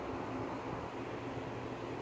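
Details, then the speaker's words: Cook rooftop exhaust fan after preventive maintenance (greased, cleaned): steady even whoosh of air over a low rumble, no squeal, rattle or knock; running normally. "Same basic procedure. Check the belt, check the motor, make sure it comes on, not making any sounds."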